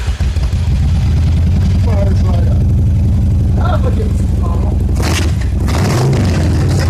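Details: Yamaha XVS1100 V-twin motorcycle after fuel system overhaul and carburetor jet cleaning, test start at half choke on temporary fuel tank: steady even low rumble with no misses or stumbles, clean healthy idle; previously ran poorly.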